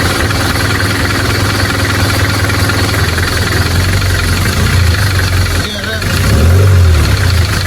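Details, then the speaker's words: Nissan Terrano project car, third restart after reopening and readjusting valve clearances: light, fast tick of about four per second over the idle persists; cause not confirmed, further valve clearance settings to be tried. "so guys, so kung nakikita nyo, pangatlong beses na namin binuksan ni Sir Chuk itong mga barbola ni Terano. Ang kaso talagang hindi mawala-wala yung ingay na yan."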